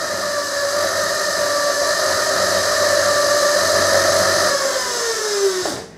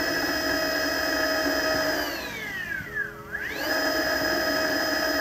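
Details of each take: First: Mototec 48V Pro electric motorbike with FarDriver ND72300 controller, wheel attached, swept through throttle positions: steady high motor whine turns gritty and crunchy in one narrow part-throttle range, pitch falling as throttle eases; cause unclear after parameter tuning. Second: Mototec 48V Pro electric bike with a Fardriver ND72300 controller, chain disconnected so the motor runs unloaded at full then partial throttle: an even whine sweeping down and up with no stutter, so the jutter is not from the motor.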